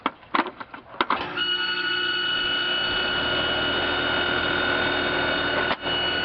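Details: Trane XR12 heat pump/air conditioner outdoor unit: a few clunks at start, then a steady high squeal over even fan whoosh; noisy, squeaky unit, cause unknown.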